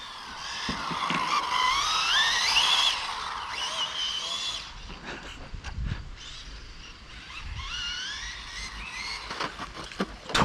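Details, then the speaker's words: Rlaarlo AK917 RC car on its first run: thin high whistle rising and falling with throttle at low speed, fading at full speed where the noise sounds fine; drivetrain whine, cause unclear. "Quand tu arrives à fond, le bruit est sympa. Mais le sifflement là, bas régime là, ouais."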